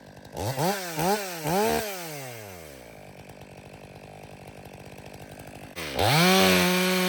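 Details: Stihl MS 500i chainsaw, 62 hours, warm, after chain sharpening, calibration and fuel purge: sharp rev blips, steady even idle, then hard clean pull at high speed under load; no hiccups. Main problem believed to be fuel pump and stale fuel.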